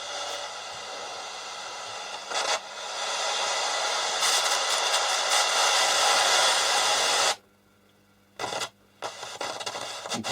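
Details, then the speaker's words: Roberts R707 radio working only on FM on external power supply, suspected dirty tuning pot or switches; hissy, crackly reception that drops to silence and stutters back; intermittent crackle and cutting out, loose connection suspected. "certainly got a loose connection here"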